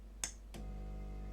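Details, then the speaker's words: SMD 968D+ hot air and soldering station with fume extractor; two clicks on switch-on then low steady hum of the small suction pump running evenly; pump working normally. "it's working and you can hear the pump. It's a pump."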